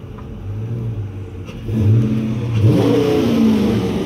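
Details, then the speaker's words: 2016 Dodge Charger R/T V8, 13k miles, with settled-in Gibson exhaust, drive-by: deep hollow burble swelling as revs climb, smooth and even with no knocks or rattles; normal exhaust note. "All right, so I'm gonna do a little drive-by right now so you guys can hear the Gibson exhaust, because now it's kind of settled in. You can really hear its deep aggressive tone. It's nice hollow aggressive sound, pure Americana."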